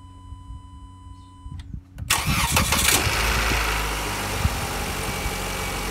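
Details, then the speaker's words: Jeep Renegade replacement battery (12.51 V at rest) during a peak-CCA test start: short, brisk crank, fires within a second and settles to a smooth, even idle. Clean normal start; measured CCA peak was 1055 A, with charging around 14.5 V afterwards. "Eu vou dar partida nela, no carro. Eu quero ver qual é o pico de CCA dessa aqui."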